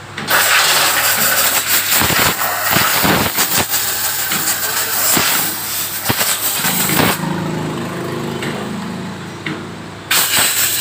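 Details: Honda CD70 (2020 model) motorcycle: uneven sharp clatter and ticking over a busy single-cylinder engine, louder than it should be; something wrong in the top end, cause suspected, not confirmed.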